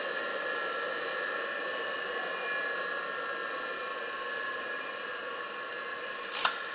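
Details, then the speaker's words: Single-phase 2 CV electric motor after switch-off, running down: steady hum winding down, then one sharp click as the centrifugal switch drops out; normal behaviour. "Fica escutando que ele vai desligar agora o relé centrífugo dele, olha. Ainda não desligou."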